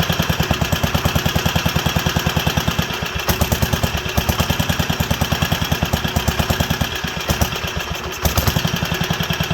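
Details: Wisconsin AENL single-cylinder barn-find engine, first run in over 20 years after restoring spark and cleaning fuel system and carburetor: thumping about three beats a second, wavering in strength and rhythm; owner suspects fuel delivery, plans carb rebuild kit.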